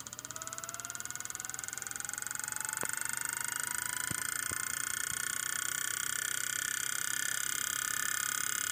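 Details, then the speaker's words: 2008 Hitachi Ultrastar 1TB hard drive spins up with a rising tone, then settles into a rough, buzzy high-pitched hum. Diagnosed as a spindle bearing problem, so it cannot work properly; data is recovered by opening the drive. "I co my tu mamy problemy z łożyskiem na pewno"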